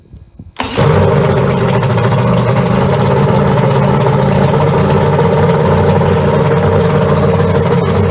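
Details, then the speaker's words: Outboard on a boat that sat a long time, fuel line dipped straight into the tank: catches quickly and holds a loud, fast steady roar instead of dropping to idle; throttle sticking slightly, motor otherwise runs good. "The throttle stuck just a little bit. Probably needs a little bit of some loving because the boat sat for so long."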